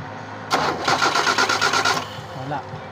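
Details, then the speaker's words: 1997 Kia engine that would not start after sitting six months: the starter cranks it at an even rhythmic pace for about 1.5 seconds without firing, because ignition power is not reaching the coil; the supply wire is suspected and to be replaced. "ibig sabihin mga boss Ay hindi nakarating dito hindi nakarating dito yung kuryente niya"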